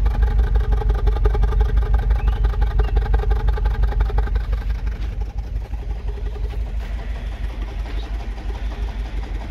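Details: 2007 Mini One 1.4 petrol idling, heard at tailpipe: steady chuffing pulse about three beats a second with an uneven puff; misfire, owner suspects the mixture, not confirmed.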